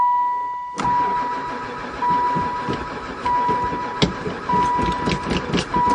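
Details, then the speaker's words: Van sitting unused about 4 years, poor runner before, fresh gas added: short cranking bursts with a steady chime in background, never fires; cranks but will not start, owner suspects no spark. "Let's see what happens. I wonder if it's got any spark. Don't seem like it. Never fired once."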